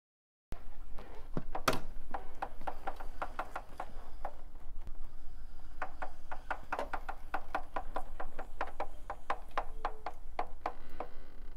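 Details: 2015 Triumph Speed Triple 1050R: sharp regular clicking about three per second over low rumble; cause was a loose front sprocket nut, cured with a new drive set.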